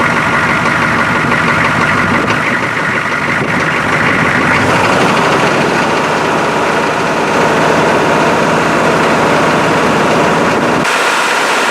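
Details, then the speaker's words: GM 6.5 diesel engine running after work on a high idle solenoid that had not been engaging; steady, even drone at raised idle, no hunting, knocks or surging: high idle now holding properly. "Hopefully she doesn't try to run away, or I'm going to be shutting her down pretty quick. Sounds like a high idle to me. Yeah, baby."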